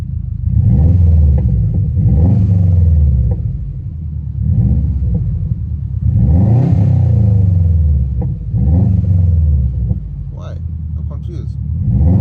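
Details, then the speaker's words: Rebuilt Subaru WRX, over-fuelling with black smoke, won't pass 80 km/h in fourth; owner wonders why it pops after flashing to stock map: revs rising and falling, deep exhaust rumble, sharp overrun crackles; cause unclear. "Uh, and if we did flash it back to uh stock the stock map, why does it have pops and bangs? Can you hear that?"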